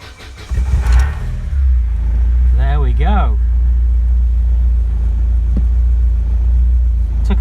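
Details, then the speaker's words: 1991 Vauxhall Nova GSi, original 1.6 8-valve, long off the road, cold start after fresh fuel in an empty tank: short crank, catches quickly, settles to a smooth even idle; good battery and oil pressure, pump possibly sucking air. "there you go we've got a good battery good oil pressure sounding sweet as well sounded very nice"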